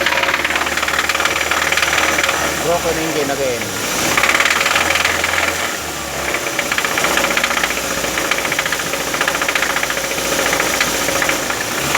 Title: How to diagnose ticking noise in Engine